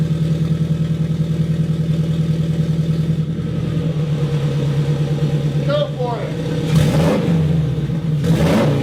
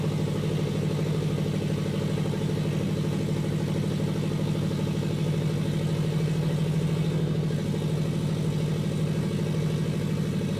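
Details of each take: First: Custom turbo Scion FR-S, warm after running a while and just after fixing an exhaust gasket leak on the pipe: revs rise and settle cleanly, smooth and even, with no puffing or ticking. Normal revving. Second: Custom turbo FRS at idle: steady rumble with a rough puffing pulse about two beats a second; huge exhaust leak because a pipe gasket didn't seal.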